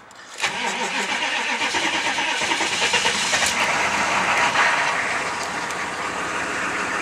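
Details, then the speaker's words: Chevy 6.5L diesel start-up, still cold: brief crank, catches at once and runs with steady clatter and no knock. It runs fine cold and develops a knock only after warming; the owner suspects a valve. "But runs good when it's nice and cold and everything."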